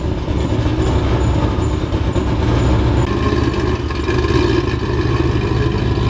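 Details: Nissan GQ Patrol with LS V8 swap and 6L80e gearbox, compression test good, tune unfinished: loud V8 running with a rough, uneven beat under steady revs; persistent misfire, cause still not found.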